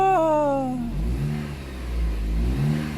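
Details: 2010 Jeep Compass after repairing a no-start caused by a corroded ASD relay pin and rotted wires: revs up and falls back smoothly, then settles to a steady, even idle with no misses; still needs new spark plugs.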